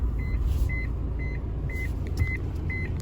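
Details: 1991 Honda Accord with engine running: sharp high-pitched beeps about twice a second, nonstop; seatbelt warning chime stuck on, its box found under the passenger seat.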